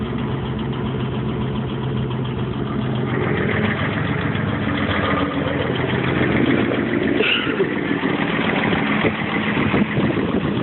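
A light, fast tick rides over a steady idle, roughly three or four per second but uneven; an idle ticking with no clear cause.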